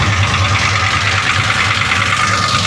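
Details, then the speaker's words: 1966 Chevy Impala 427 big-block V8, just started after sitting about two weeks: loud, lumpy idle with busy clatter over the exhaust; owner says it is top-end noise, not rod knock, and plans a valve adjustment; top-end noise at idle. "Guys, that's not the rods knocking. Your rods ain't knocking. That's the top end. 100% the top end is making noise."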